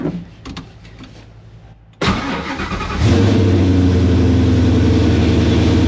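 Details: Foxbody with Gen 2 Coyote V8 after flashing a Palm Beach Dyno base tune: brief starter whirr, clean catch, steady even idle with no stumble; tune appears to have fixed the earlier stumble.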